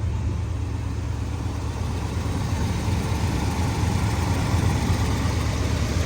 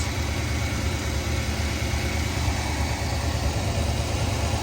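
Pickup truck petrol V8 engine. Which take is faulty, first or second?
first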